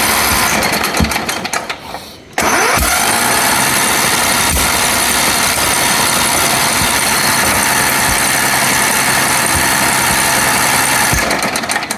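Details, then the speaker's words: Recovered ride-on lawn mower tractor being restarted on a borrowed battery: rough uneven running with irregular sharp metallic clatter; no smoke at the exhaust, which seems to come out the carburetor; owner suspects a stuck or seized valve. "Voilà. Quand même des bruits de ferraille là-dedans. Ouais. Oh là. Il y a un truc qui va pas du tout."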